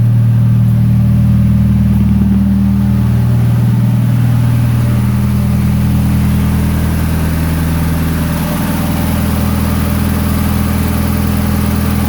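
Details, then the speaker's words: 1992 Toyota Starlet GT EP82 with IHI VF34 turbo, started in cool early-spring weather: steady, even, fast cold idle with no dip. Idle still sits too high though calmer since the clutch job; owner suspects the old wax (fast-idle) unit. "at the moment it's calmed itself down and idling still not 100% but a little bit better I'll start it up and see what it's feeling like it wants to idle at it at the moment"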